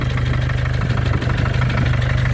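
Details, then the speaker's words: 2014 Mercedes diesel OM651 with 300 (thousand) mileage at idle, hood open: steady rapid knock tied to engine speed, same cold or hot; injectors and hydraulic lifters replaced without change; source unknown, possibly harmless. "Вроде как безобидный стук, но я понимаю или не понимаю ничего."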